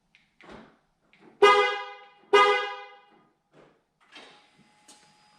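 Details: Honda Ridgeline (2006-2014) with newly installed MPC remote start using stock fob: two loud horn blasts about a second apart in a quiet cab; horn sounds after extra fob presses, system needing more programming.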